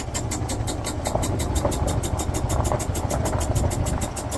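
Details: 2008 Yamaha Drive G29 gas golf cart small engine chugging unevenly, barely staying lit on choke and wanting to die.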